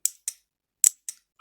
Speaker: The second test is to hear the click.